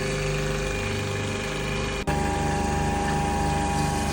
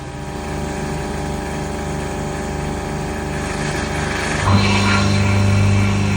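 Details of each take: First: Sailboat watermaker with its repaired pump reinstalled, initial startup: a steady pump drone, then a brief dip as the high-pressure pump kicks in after about 20 seconds with a low rhythmic pulse. Both run evenly; normal. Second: Sailboat watermaker after pump repair, still not working correctly. The pump ran 10 minutes, stopped, restarted after 1:22, stopped after 5 minutes, restarted after 2 minutes. Low hiss, then a steady deep hum as it kicks on; abnormal on-off cycling with changing intervals.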